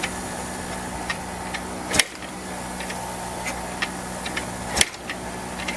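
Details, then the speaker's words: 1984 Yamaha IT490 490 cc two-stroke dirt bike kicked after fuel poured in: two hard kicks seconds apart with faint ticking, never catches; cranks but won't start. Owner suspects oily spark plug, spark not yet checked. "It also wouldn't hurt to check, make sure it's got spark."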